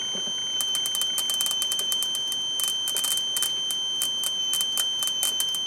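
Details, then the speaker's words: 1998 Chaparral, Mercruiser 305 (5.0) V8 carbureted Alpha1 sterndrive running rough/misfiring: static ignition test, wire brushed to ground two to three times a second, crackling snaps over steady high whine; nice blue spark, ignition fine. "Looks like a nice blue spark. Certainly can't complain about that."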